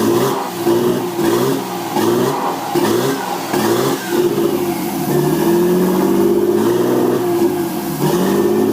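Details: RB20DET in a 240SX S13, second start after rewiring the factory harness, no mass airflow sensor fitted, possible unplugged vacuum lines: smooth crisp revs then fast but even high idle, no knocks, rattles or smoke; healthy engine.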